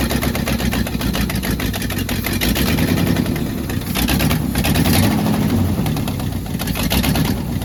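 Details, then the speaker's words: 1966 Jeep Gladiator 327 Vigilante V8, off 21 years: lumpy, surging, stumbling idle that won't settle; owner hears a massive vacuum leak, unconfirmed. "I hear a vacuum leak all right I heard a massive vacuum leak when I walked away from it um you guys should probably hear it on the video because that was kind of loud"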